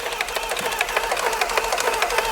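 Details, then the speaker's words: Salvage VW Golf R Mk7 cranking on a jump: fast tinny metallic clatter, roughly six uneven hits a second, from the cam chain area; engine suspected badly worn, cam chain suspected, not confirmed. "That does sound like camchain. Actually, there's a really like metallic noise from the cam chain area. Um, and the whole thing just didn't sound great."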